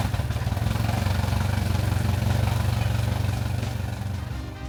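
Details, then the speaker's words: Mercury Pro XS 115 hp 2.1L outboard on a Mako 18 LTS, after a 100-hour service with the lower unit removed and refitted, shifted into forward and reverse: steady idle in gear with no grinding or clunking, then tapering off at shutdown; shifting works properly. "you'll see here I'm putting the motor in forward and reverse I'm making sure that works properly that we didn't knock anything out of place when we remove the lower unit there's no grinding there's no clunking everything sounds good to me"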